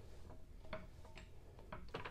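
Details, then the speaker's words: Brown & Sharpe milling machine gearbox turned by hand after gummed-up, water-contaminated detents were sprayed and freed; light, crisp clicks as detents drop in cleanly, box turns freely; normal gearbox detent clicking. "so the mechanism that was in here it catches on these little openings there's all gummed up so I sprayed all that and now it is working"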